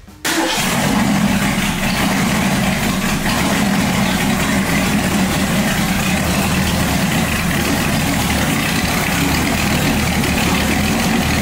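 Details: 1965 Mustang with supercharged, aluminum-headed 289 V8 and big cam, with exhaust fitted: it starts, then settles into a steady, even, lumpy rumble with no pinging or stumble. A healthy idle.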